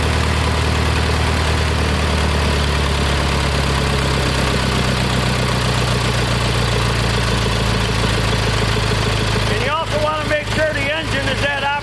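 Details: Kohler Magnum 20 after a carburetor rebuild, mixture screw backed out about 1.5 turns and slowly turned in toward the sweet spot. Even single-cylinder idle thump, pitch shifting slightly as the screw turns. The engine probably needs a valve job.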